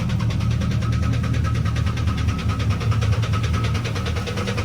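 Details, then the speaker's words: Turbo 5.9 Jeep Grand Cherokee on pump 92, cold start: starts with a high idle that comes down into a steady, even clatter with a deep smooth rumble and no knock. Described as running diesel but still sounds good; normal idle. "Cold start, running diesel. Jesus. Still sounds good."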